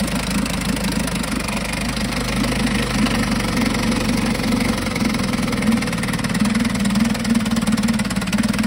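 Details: 1952 Johnson SeaHorse 10hp two-stroke outboard revived without new parts; even buzzy run at steady speed picking up slightly near end, no knocking or stumbling; runs good, though needs pull rope, O-rings, grip and gas leak fix.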